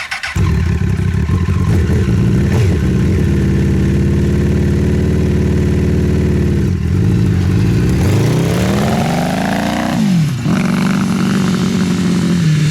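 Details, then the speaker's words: Honda CBR 1000-engined off-road buggy on test drive, after gearing and shifter fixes and several oil changes, high range first gear: raspy, uneven drone under throttle, revving up and dropping back; sounds like a misfire and down on power, cause not confirmed. "Does it feel like it has a miss or anything? It sounds like it's definitely not running right. It sounds like it has a miss, like it's It's definitely not running full power"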